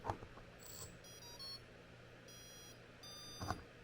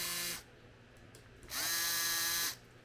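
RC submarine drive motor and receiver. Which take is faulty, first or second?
first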